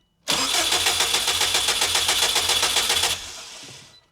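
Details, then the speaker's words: Subaru WRX STI sitting since last fall, cranked with ignition fuse pulled to circulate oil before first start: starter turns the engine at a steady even chug, about four beats a second, no firing, then winds down; normal. "But all it is really pulling the ignition fuse and turning the car over a little bit so that we get oil moving around the car before we actually go ahead and fire it up."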